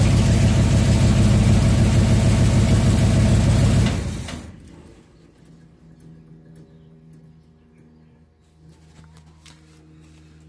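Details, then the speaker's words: 1967 Chevelle V8 on original wiring after ignition switch reassembly; even, regular idle burble about four seconds, steady rhythm, no misses or knocks, then quiet; oil pressure gauge about three-quarters, not yet charging; healthy idle. "i knew it would run i was just trying to see if it would run off the original wiring"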